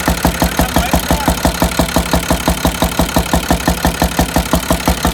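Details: International DT466 diesel idling with valve cover removed: sharp, evenly spaced knock every cycle standing out above engine; owner suspects cylinder 5 problem, possibly bent valve, not confirmed.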